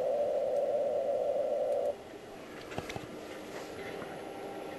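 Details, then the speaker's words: Amateur receiver (Icom) on the morning after rain: a steady buzzing hiss of power line noise, then a quieter hiss; the noise seems tied to rain and was absent the evening before. "this is the next morning, and the rain has stopped and the noise is back. This does seem to be tied to rain."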